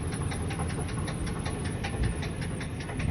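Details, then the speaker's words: Van with 196,609 miles idling, moved in reverse and forward: fast even ticking knock over low steady engine rumble, unchanged by direction; definite engine knock, cause unknown. "but it does have a definite engine knock. Put it in reverse and moved it backward, and we'll come back forward with it. The noise doesn't seem to change, so for those of you who are mechanically inclined, you may know better than I do what the issue is."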